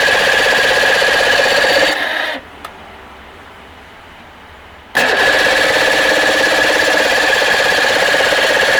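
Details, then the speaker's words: Force 85 hp outboard, long unused, running after stator and flywheel work, has an uneven, lumpy beat near four pulses a second with a cutout and restart. Fuel pours out, suspected from the number two carburetor, and the linkage has been tampered with. "t's firing so we're going to go ahead and start it up and listen to it run and it's not going to run well and then go into our carburetor type issues"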